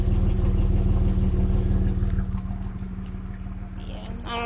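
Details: 1992 Camaro RS V6, stock, 147,000 miles, with a dry-rotted hose, a slight exhaust leak and low idle, put into drive, recorded on a cell phone. A loose, wandering chuffing pulse near three per second: rough idle, cause unclear.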